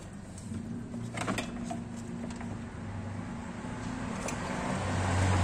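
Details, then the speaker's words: Mazda CX-3 with engine running: steady low drone with a rough, buzzing vibration from the front blower fan motor, caused by damaged motor bearings. "jadi apabila mobil teman-teman mengalami bunyi pada saat mesin dihidupkan answer ini terdengar bunyi bergetar atau bunyi berisik pada bagian depannya Ya udah bisa menandakan motor Hai kipasnya atau motor blower nya bearing nya yang mengalami kerusakan"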